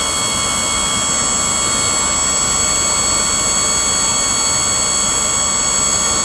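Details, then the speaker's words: Auto park brake hydraulic pump bench-run on a 12 V battery via a manual switch: steady, even high-pitched electric whir running continuously without cycling or overheating; normal pump, ruled out as the auto park fault. "And it's just staying pumping. So I'm gonna eliminate the pump as a problem."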